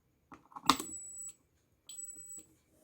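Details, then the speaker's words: DIY chicken-coop security alarm (ESP32-CAM, NodeMCU ESP8266, 9 V adapter, buzzer, magnetic door sensor): two thin high beeps at power-on among handling clicks mean the door sensor isn't seated or aligned properly. "Jadi jika bunyi beep seperti itu dia belum terpasang dengan benar kita bisa lepas lagi kita lepas lagi"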